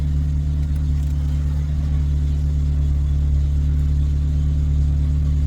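Deep, steady, even drone with no knocks or misses and a constant pitch; a healthy engine idling smoothly indoors.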